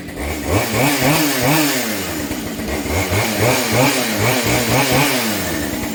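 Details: Husqvarna 572 chainsaw after cylinder replacement following a failed wrist pin clip, run under a little load: crisp two-stroke buzz swells and dips about every half second, clean with no knocking or rattle; runs healthy.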